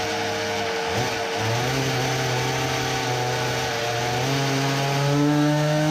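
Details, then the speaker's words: Tuned Samurai 40cc two-stroke with a new cylinder on a dyno after a larger main jet; buzz climbs a little then hangs flat and strained, giving 3.13 hp against a previous 3.63. It will not rev under load as it did freewheeling, and the sputter is gone. "what the...it does not rev?!? it cannot be...."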